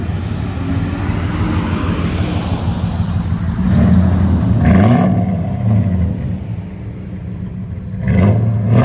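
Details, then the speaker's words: Ford Excursion 5.4L V8 with Flowmaster exhaust, running on seven cylinders; uneven, loping exhaust beat that stumbles at idle and on revs; engine misfire, not a lumpy cam. "so it's only running on seven cylinders it's misfiring still sounds good imagine when it runs real good"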